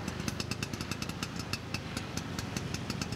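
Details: Vespa two-stroke after roadside points (platina) adjustment: steady quick tick with even firing pulses, no misses or knocks; engine running smoothly.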